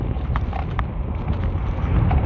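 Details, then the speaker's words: Tamobyke TB20 20-inch e-bike on its first ride, with hard-inflated tires: scattered light clacks every half second or so over wind and tyre rumble, from a fender that wasn't tightened. "If I knew this fender wasn't tight, I would have put less air in my tires."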